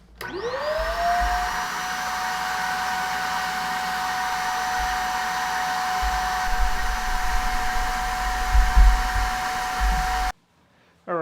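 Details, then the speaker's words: Vacuum after three cups of baking soda: steady high whine with hollow rushing airflow, straining against powder-caked filters; baking soda now coming out the filter, machine completely saturated though bin not full. "she's really struggling now and now the baking soda is coming out the filter so we've now completely saturated the machine"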